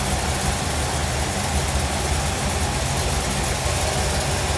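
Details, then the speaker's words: 1957 Chevrolet Bel Air carbureted engine after carburetor replacement: low, steady idle rumble with an even beat and no surging after the throttle stop is set for idle RPM. Normal idle. "okay basically that is just giving you a throttle stop to give it enough for the engine to idle at a specific RPM for"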